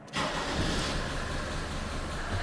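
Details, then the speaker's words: Mercedes 190 2.5 non-turbo diesel, in for MOT fail repairs, started after its gearbox connector was plugged back in: catches instantly, then a loud, even idle clatter; rough-sounding but healthy. "Difficult to a hear me over this uh 2.5 diesel non-turbo."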